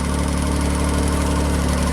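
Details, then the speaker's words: JLG baby scissor lift engine after new starter and battery, scanner connected: low, flat, steady drone; actual speed stays near 500 rpm while desired speed is 1500, not matching commanded rpm. "That's a problem. Why is our actual speed not matching?"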